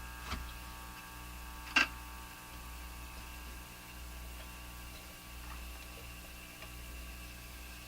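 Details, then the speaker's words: Japanese Zephyr Model 1 tube radio during replacement of leaky capacitors: low mains hum that swells and fades over several seconds after being greatly reduced; intermittent hum, cause not found. "It's going away. What's happened there? hum kind of came in and then just kind of Here it comes again."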